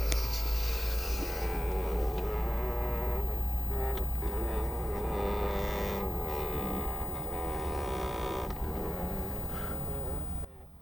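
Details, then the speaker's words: VAG car, while driving: drawn-out rising and falling creak behind the dash, heard only in certain climate modes, from the air-flow blend flap; fix is lubricating it, which needs half the dashboard removed. "там така є там така заслоночка яка управляє потоками повітря так от її те коли треба змастити"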